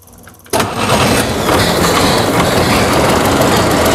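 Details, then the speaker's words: Boat carburetted engine after carburetor replacement, started in garage with fuel pump on: catches quickly and settles into an even, steady idle with no misses or stumbles; clogged-carburetor issue fixed. "okay okay it's been running for over a half an hour now"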